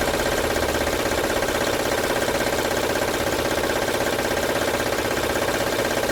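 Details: 2006 Honda Odyssey at idle, no stored codes: constant fast ticking rattle over a smooth, steady idle from the front of the engine; timing belt suspected, not yet confirmed. Engine rattle.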